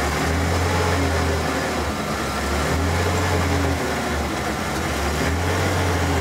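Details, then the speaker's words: Ford F-150 around 1994, cold, after fuel filter change: low idle that swells and sags every second or so, runs poorly only at idle; owner suspects debris in the fuel line. "well she has a fuel filter fired it up but still doing like this pulsating if you guys can hear it"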